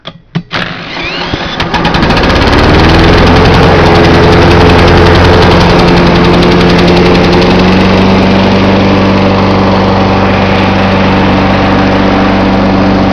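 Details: John Deere 14SE mower, Kawasaki FC150V engine, started cold with choke on, camcorder set on top of the engine: cranks briefly, catches and settles into an even, steady single-cylinder beat with no misses or knocks; normal idle.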